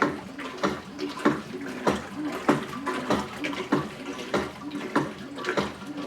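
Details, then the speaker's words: Whirlpool Cabrio WTW8900BC0 top-load washer during agitation: sloshing with a dull knock about every 0.6 s as the bottom agitator reverses; owner guesses worn or broken agitator assembly. "Okay, I don't know if you guys are hearing that, but this thing is agitating, making a bit of a knocking noise. Seems to line up with when the agitator in the bottom changes direction."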